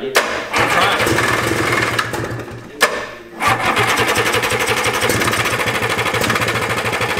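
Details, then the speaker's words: 1987 Yamaha Exciter 570 snowmobile, first start after sitting 13 years on fresh gas: fast buzzy two-stroke crackle stays high instead of dropping to idle, needing the kill switch; throttle cables pulled too tight kept the carb needle from closing. "the throttle cables were pulled really tight so the actual like needle in the car wasn't going down all of the way so that's why i had to run it with the kill switch because it would rev out and i would have to kill it because it wanted to go a bajillion miles an hour"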